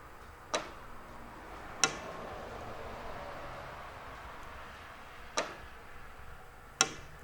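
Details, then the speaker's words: Porsche 986 Boxster/996 Carrera fuel tank vent servo, engine off, quiet: four crisp clicks as the vent valve opens normally. When it fails, fuel backflows out of the filler neck. "So if you listen, I'll be real quiet here. If you listen, you can hear it open. You hear that click."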